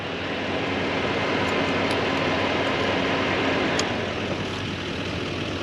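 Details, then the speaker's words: 2002 Yamaha FZ1, back on the street after sitting over 8 years and recent repairs: a steady, even idle with the constant airy whoosh of the radiator cooling fan over it; engine and fan both working normally. "Alright, cool. I hear the fans on. That's a good sign. The fan's working."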